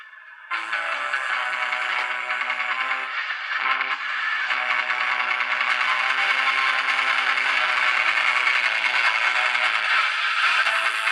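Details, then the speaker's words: 1946 Zenith 5D011 All American Five tube radio, warmed up: thin, tinny program sound with no bass and a gritty edge, and low volume. It still sounds sick because a failed dog-bone coupling resistor on the audio output tube's control grid was missed. "That sounds sick still."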